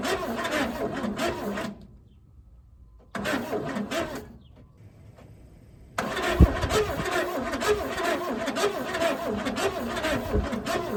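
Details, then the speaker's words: 1964 Chevelle Malibu 230 inline-six, unrun for 34 years: steady cranking at about three beats a second that never catches. Crank, no start, no spark. "Hey, hey, hey. We're not getting any spark."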